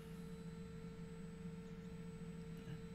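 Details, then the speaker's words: Tevo Tarantula Pro 3D printer after belt-driven single-motor dual Z upgrade, Z axis raised and lowered in short moves via display knob after belt tension adjustment: steady clean hum, no earlier clicking or skipping; normal Z-axis movement. "I'm just moving up and down in short movements to make sure I don't hear that that clicking noise I was hearing earlier"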